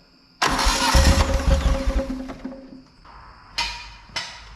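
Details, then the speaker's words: John Deere Gator XUV 590M after replacing a grinding, non-engaging starter, test before reassembly: new starter engages cleanly and spins the engine briskly for about two seconds, followed by short bumps, no grinding; normal cranking. "way all right we saw that it will turn over so we're going to finish putting it back together"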